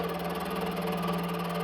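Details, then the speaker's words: Used mini milling machine with a thin spindle belt, taking a light cut on aluminium round bar: soft, steady motor hum with a smooth, even cutting note and no chatter, running normally. "切り込みを大きくすると怖いので、軽い切削ですが、このくらいなら大丈夫そうです。"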